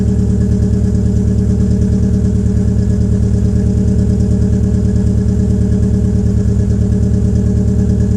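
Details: 2004 Peugeot 807 SR 2.0, EW10J4 RFN engine, rear silencer removed, cold start: uneven, lumpy idle with a heavy low throb that stumbles; owner attributes the rough cold idle to tight valve lifters.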